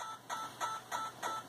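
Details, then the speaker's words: Yaesu FT-891 radio in receive on MFJ 30 A switching supply: sharp rhythmic clicks about three per second over hiss, louder with RF gain up, timed with computer CAT polling. Digital interference clicks in receiver audio. "you can hear a very rhythmic clicking sound if I further or more comin up turn up the RF gain this sound is precisely in time with the computer interrogating the computing interrogating the radio"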